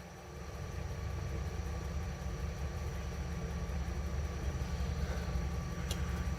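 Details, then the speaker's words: 1971 GMC Camper Special 3/4-ton V8, first start in about 18-20 years, fuel poured into the carb: a low, uneven rumble with a shaky, lumpy beat, clearly not firing on all 8 cylinders; rough running misfire. "Oh, what was that noise? It's not running on all 8, that's for sure. It is shaking."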